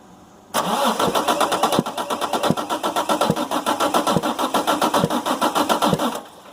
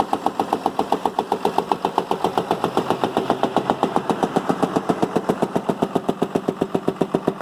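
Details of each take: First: Damaged 6.7 Cummins from a Ford F750 box truck, cab and body removed, minimal wiring, batteries getting low, cranking: sharp pops about 220 per minute over the starter; suspected intake valve stuck open or dropped valve in one cylinder. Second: Damaged rear-gear-driven 6.7 Cummins medium-duty diesel run on its own without the truck body or OEM Ford wiring, using only 3 wires and a rigged starter button, to judge if it is worth tearing down; even, steady thumping with no misses or knocks.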